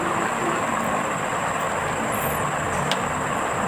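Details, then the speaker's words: Yamaha Mio J scooter with noise in the CVT area, rear pulley still fitted: very coarse rough hiss with a thin high ring; noise disappears when the pulley is removed; worn CVT pulley bearings. "Nah, ini ketika masih dipasang puli ya terdengar suaranya sangat kasar."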